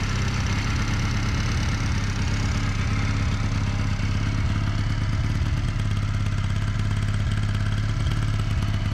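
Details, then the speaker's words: 1981 Honda CM200T twin after new carburetor with idle and mixture screw adjustments, just started on choke and warming up: low, steady thumping idle around three pulses a second, even and unbroken; normal idle. "And it starts right up. We'll let it warm up for a little while."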